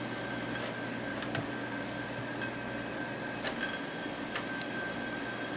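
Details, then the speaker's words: Small unbranded desk fan during servicing: faint regular tick about once a second over steady fan hum, only when tilted to blow upward, not when straight or downward; source not found. "that's irritating hear that if it's straight it doesn't do it it only does it when it's going upward it's fine blowing downward"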